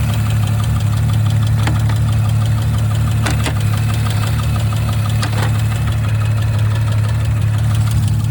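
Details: 2019 Audi RS5 B9 petrol engine at idle: a faint, light ticking rides over the deep hum; the owner does not know the cause.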